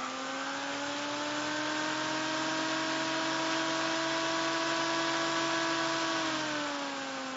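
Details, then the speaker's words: Imhotep SSG fan motor driven by Darlington pair TIP142 and TIP31 transistors, magnet added to rotor: steady clear whine that sags slightly; circuit self-oscillating as it speeds up. "i'm not sure that the second transistor is helping a whole lot tell you the truth but there it is and it'll go pretty fast if i turn it the right direction sounds like it's trying to self-oscillate"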